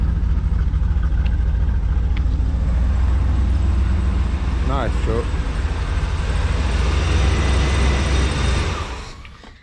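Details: OBS truck V8 after a top-end rebuild, carbureted, no coolant yet so only a short run, fuel pressure low at 4 lb: deep, even rumble with a steady beat, no knocks or ticks, dying away at the end; idles cleanly.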